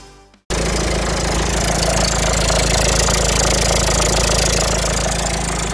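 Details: Citroën C4 Picasso 2016 at idle, before repair: fast, loose metallic rattle, about four a second, that had grown steadily louder; gone with the belt off, returns with it on; new auxiliary belt tensioner fixed it.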